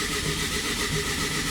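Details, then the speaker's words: 5-cylinder race engine rebuild, cranking with oil pressure, before injectors fitted: starter spins with an even, steady beat, no dropouts, compression now present and even, previously there was none. "sounds so there'll be compression last time i heard it i had none"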